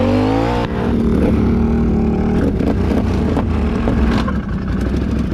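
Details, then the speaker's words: Fourwheeler riding under load: engine revving with irregular ticks and clunks, consistent with an unwound CVT secondary spring; the riders fear the motor is about to blow. "we're literally going to be here and only have ridden this one back corner oh this thing keeps making weird ticking"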